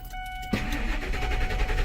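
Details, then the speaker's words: 2002 Ford F150 after engine computer (PCM) swap that won't accept programming: chime, then starter cranks steadily but engine never fires; crank no-start, owner suspects the unprogrammed PCM, not confirmed. "that's why something wrong with it it doesn't want to start also"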